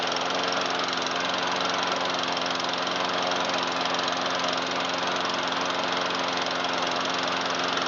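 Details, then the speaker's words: 2009 Troy-Bilt 12AI839G211 mower with Briggs 111P02 engine after carburetor cleaning; steady, even high-speed buzz with no surging or stumbling at full throttle; normal full-throttle running. "It starts nice and it runs good."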